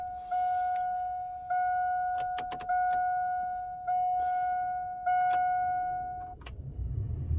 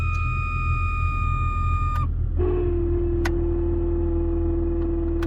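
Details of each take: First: Jeep heater blower motor after lubricating dried-out bearing/bushing with silicone, key on: a few warning chimes, then fan spins up to a smooth, even rush with no earlier screech; normal blower operation. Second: Jeep heater blower motor: a steady high squeal over the fan rumble, dropping to a lower continuous whine, from a worn blower motor bushing/bearing that has developed play.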